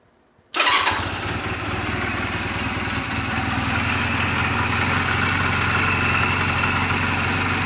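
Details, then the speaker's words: 2007 Honda Rebel 250 at about 11,456 miles, just after an oil change and valve clearance adjustment, in neutral: catches at once and settles into an even, steady single-cylinder idle at about four beats a second, no ticks or knocks. "this motorcycle is running perfectly I just now changed the oil did the valve clearances everything"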